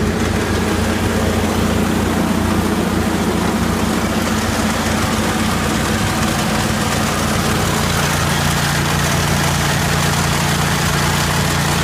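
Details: 1980 Jacobsen Turfcat 60-inch mower with blades engaged: heavy engine drone under a loose clattering racket as the PTO shaft bounces freely with missing bushings, wearing the shaft end.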